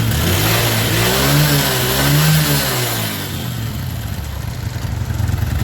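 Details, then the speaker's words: Kawasaki ZX carburetor: pilot air screw no longer has any effect, so idle can't be set. Engine hunts and surges early, then holds a high, uneven idle; screw found to have very dirty passages inside. "ini sudah tidak fungsi angin-anginannya gak fungsi sehingga tidak bisa Diel"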